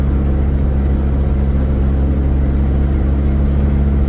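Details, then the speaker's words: Vauxhall Nova GTE with a swapped-in C20LET 2.0 16V turbo engine on its first test drive, warming up: steady, even drone with a smooth low rumble, no knocks, rattles or scraping; air-fuel ratio looks good and it runs fine. "everything seems to be running all here up and now Aon fuel ratio looks [Music] good nothing seems on [Music] clear seems we running fine"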